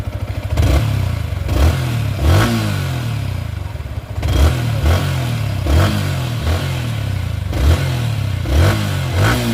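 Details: Yamaha R15 V3 after repair of a "tik tik" valvetrain ticking complaint: crisp throttle blips rising and falling cleanly with no tapping, and the engine now runs quietly.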